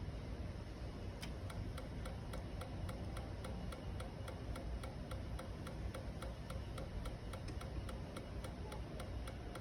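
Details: 2012 Kawasaki Ninja 650, no start: faint steady ticking about three per second with no engine running; the bike clicks but won't start.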